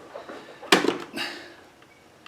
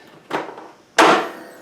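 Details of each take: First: Craftsman T100 lawn tractor, Briggs Intek engine, hydrolocked after sitting all winter, cranked with spark plug removed and oil drained to expel fuel: two quick bursts of fast, even whirring, turning freely. Normal cranking. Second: Craftsman T100 lawn tractor, Briggs Intek engine, after sitting all winter, choke on: solenoid clicks, two sharp clunks, engine won't turn over; likely hydrolocked, oil wet far above full mark, not starter or compression release.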